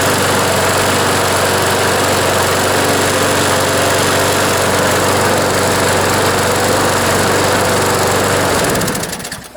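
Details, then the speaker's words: John Deere JS26 push mower, Briggs & Stratton engine, after the blade hit something hard, reassembled with gas tank refitted: steady, fairly even buzz for about eight seconds, then a clean cutoff; still vibrates a lot, likely bent crankshaft; normal running. "an improvement anyways still feels like it's vibrating a lot i think they probably bent the shaft but i think the mower is usable uh in this condition"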